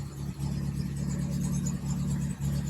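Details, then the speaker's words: 1961 Triumph TR3A after thermostat housing resealing and coolant refill, started and warming up: slow, even idle at about 550 rpm with a steady beat and no knocks or misses. Oil pressure about 55 psi. Normal idle. "all right so I've got it running and it actually idles pretty good sitting there idling at about 550 RPMs"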